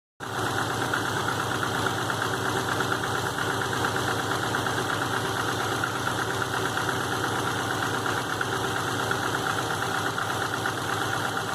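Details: 2005 Subaru Legacy GT turbo flat-four after rebuild with refurbished block, new crankshaft and bearings, used rods, pistons and heads: steady rapid knock at warm idle with 22psi oil pressure, new plugs, no exhaust leaks; cause unknown.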